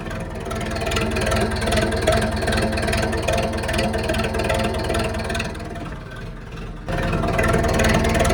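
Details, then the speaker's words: Zetor 7745 tractor diesel idling just after a -10 °C start with 2000 W 230 V coolant preheating; even clatter about 150 beats a minute with a short dip then recovery, no knocks or misfires: normal idle. "Dám to len tak na mierne na podlahu plyn, bez žiadnych starostí. A je to. A pradie si ako mača."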